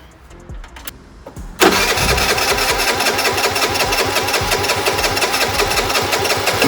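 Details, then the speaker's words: Piaggio Vespa 50 LX two-stroke scooter during restoration, first cold start after carburetor adjustment: catches with no throttle and settles into crisp, even buzz with no misses; running healthy. "Это первый запуск на холодную. Если все хорошо, то буду собирать проводку и так далее. Хорошо завелся, без газа, без ничего."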